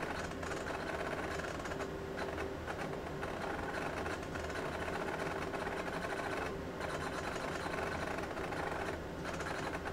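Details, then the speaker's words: Real physical MiniScribe hard drive in an AT&T Unix PC (7300) during bootup: steady low whir with loud, clunky, irregular chattering seek bursts, normal busy head movement of an old drive before reaching the login screen. "quence and you can hear what sounds like a real hard drive because well it is a real hard drive this is not one of the emulated hard drives that I'm using here this is actually a real physical mini scribe the good old loud ones listen to that clunky clunky clunk"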